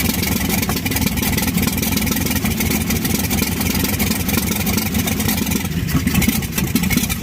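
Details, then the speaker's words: 1952 Chevy old six-cylinder, first start with the fuel pump working and oil added; it catches and keeps running, rough and a bit uneven at first, but firing on all cylinders. "but she runs that's awesome that is really awesome"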